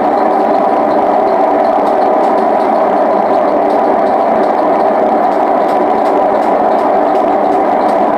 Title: Hotpoint WM74 spin with bad bearings